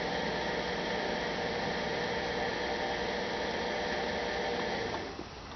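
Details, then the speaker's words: 2006 Toyota Prius coolant change, bleeding air: electric coolant pump run via relay, steady whir with uneven bubbling and gurgling as funnel level drops; air still trapped in cooling system. "So I'm hearing bubbling sounds, and the level in the funnel is going down. Hear a lot of gurgling sounds."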